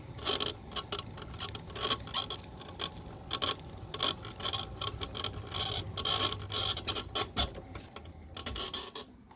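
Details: Golden Technologies Buzzabout power wheelchair, two months old, after 5 rides on flat pavement: irregular dry creaks and ticks while rolling on smooth pavement; the seat post was squeaking and was fixed by greasing it.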